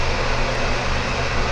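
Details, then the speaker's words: Broan/Nutone 60-CFM bathroom exhaust fan upgrade kit, rated 3.0 sones, replacing a 15-year-old builder-grade fan: a steady, loud whooshing roar with a low hum and no rattle or scrape, about as loud as the old fan. Loud exhaust fan. "loud yeah it's pretty loud um i'd say it's the same as the old one hence the 3.0 sewn rating on both of them"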